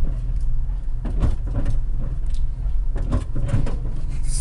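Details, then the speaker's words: SUV with an exploded tire driven very slowly through a neighborhood: a low rumble with uneven scraping bursts about once a second as the shredded tread drags against the inside of the wheel well. "all right hear that if your wheel if your wheel does that it's in bad shape don't drive your"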